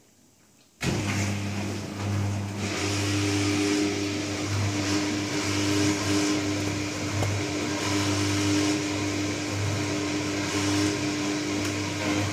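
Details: New Candy Trio 9501/1X: it switches on into a loud, steady low drone with a slightly pulsing higher tone on top. Resonant humming, cause unclear.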